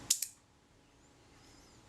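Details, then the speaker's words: Kodak Retina Reflex III shutter after servicing, gear train and speed train reassembled and self-timer adjusted to slow speeds, fired at 1/8 s: two crisp clicks, open and close, sounding promising but possibly a little quick; shutter speed slightly fast. "it sounded promising might have been a little bit quick"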